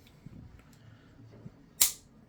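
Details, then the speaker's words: 1911 pistol function check: with thumb and grip safeties off, trigger pull gives a single crisp metallic snap as the hammer drops cleanly; normal hammer fall. "Pull the trigger, safety's off. Everything works."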